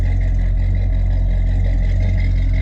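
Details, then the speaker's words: 1987 Chevrolet El Camino SS V8, Edelbrock 4406 carburetor with faulty accelerator pump, recorded at the rear: deep, steady exhaust burble, even and unbroken, no ticks or misses; healthy idle. "It sounds good."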